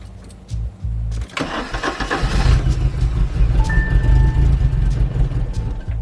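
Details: 1982 Porsche 924 Turbo after a couple of years stored, fuel had evaporated, a few gallons added, jump box and charger connected: a few short cranking bursts, then it catches and settles into a steady even rumble; healthy start.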